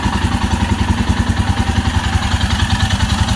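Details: 2022 Royal Enfield Himalayan single-cylinder after fuel pump replacement for an intermittent no-start, first start: even, steady thumping about three and a half beats a second, no misses or stumbles; normal idle.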